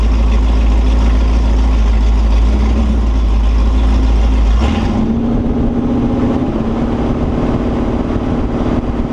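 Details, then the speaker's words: Holden 355 stroker V8 on a bench test stand, new engine for an HQ Holden (flat-top pistons, Sig Erson TQ30 cam, HEI, Edelbrock carb, Aeroflow single-plane, 9.5:1), bedding in cam and lifters: a deep, even rumble dropping to a smooth idle with no knocks or ticks. Oil pressure is 30 psi at idle, no leaks; healthy. "well there you go she's sounds all right seems to go all right doesn't seem to be leaking anything I think she's good to go"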